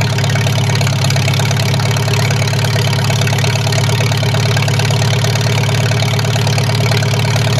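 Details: Farmall H tractor just reassembled with repaired carburetor: steady low chugging idle about three beats a second, even with no knocks or misses; runs smoothly, may need slight tweaking.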